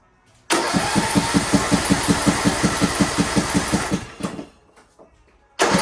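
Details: Poulan Pro PP175G42 riding mower that sat outside for years, started after cleaning corroded contacts: the engine catches at once and thumps along at an even beat, then cuts off and fires straight back up. It starts and runs cleanly.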